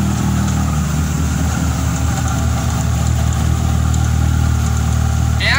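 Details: Fiat Tempra 2.0 16V, cold and just started, with a loud exhaust; a steady low drone with an uneven fast tapping about four per second; owner wonders if it is a bearing, a piston or an accessory bearing; source unidentified.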